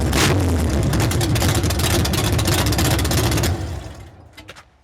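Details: 383 stroker with a Comp Cams XR282HR cam: loping, uneven idle at roughly three to four pulses a second with a choppy exhaust beat before shutdown; rough idle, cause uncertain.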